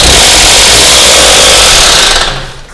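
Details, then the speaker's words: Hyundai Solaris (Kia Rio 3) engine running: loud, harsh metallic rattle over the engine, fading as it shuts down; timing chain guide broken in half, chain slapping, cause unknown. "на самом деле там сломало успокоитель цепи прямо пополам он сломался по какой-то причине нам неизвестный разбираться будем позже"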